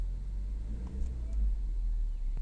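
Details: MK6 Golf 1.4 TSI 122 PS petrol idling once the start-up misfire has cleared: low, steady hum with no stumble or misses, normal idle.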